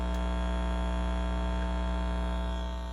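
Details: Ampeg Heritage B-15 reissue 6L6 bass amp (Metropoulos-built, hand-wired), volumes at halfway, customer's recording on a power conditioner: loud steady low hum with buzzy edge, unchanged with nothing plugged in; noise from the amp itself.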